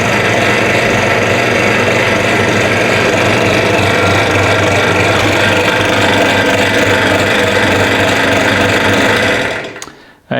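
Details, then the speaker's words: Small, inexpensive five-speed benchtop drill press: loud, steady whirring with a rough rattle throughout, then it winds down at switch-off; the source is unknown (spindle, motor or belt), and the spindle also has noticeable runout. "i'm not sure where all that noise is coming from if it's the spindles if it's the motor if it's the belt uh maybe i can tune it up get it to run a little quieter"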